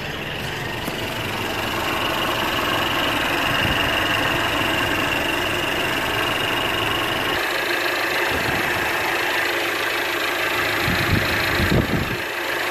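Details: 2017 Mercedes-Benz E300 turbo engine idling before oil change and engine flush: steady, even idle hum with light top-end ticking, no misses or knocks; normal idle.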